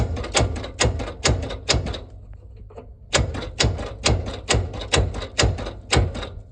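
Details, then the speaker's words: Ford Industrial 4500 gas loader tractor, sat a long time, engine locked up: starter engages with heavy clunks about twice a second but crank barely moves; owner assumes it is full of water (or gas), cause not confirmed. "But it does, the starter does engage. You can see all the rust falling off of it when I click that, but it has a teeny, I mean a teeny ass bit of movement."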